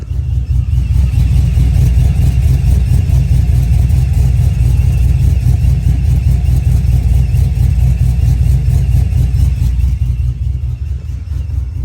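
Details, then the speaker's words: Brian Tooley Truck Norris cam engine, about 26 degrees idle timing, 15 degrees over/under timing swing in HP Tuners, timing jumping up and down: deep heavy strong uneven lope two or three times a second, deliberately tuned choppy idle. "I'm going to click it now and we should see the timing kind of Flat Line you get that timing jumping up and down to give you the chop"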